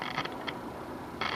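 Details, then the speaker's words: Zenith A-411-A radio at full volume with radio section disconnected: irregular dry static crackle from speaker, unaffected by volume control; traced to final audio stage, Q402 final audio transistor suspected, not yet confirmed. "But if you listen, you can hear a staticky noise coming from the speaker."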